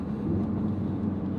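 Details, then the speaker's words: Tuned RS (Cobb accessport, Mountune parts, ETS intake and exhaust, Damond rear motor mount) accelerating in second through fourth gear; a steady, fixed-pitch drivetrain hum under the cabin noise, absent in fifth and sixth gear, cause unknown. "It's humming really loud right now. Hopefully you can definitely hear that. I'm pretty sure you guys can. It does it in like second, third, fourth. It doesn't do it in fifth and sixth."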